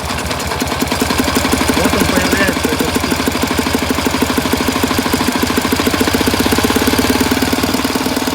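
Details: 1967 K-750 motorcycle boxer twin on 92 petrol, plugs fine, valve clearances earlier in tolerance, camshaft bushings worn: raising the revs brings an uneven dull knock of about three a second near the air filter, source not pinned down.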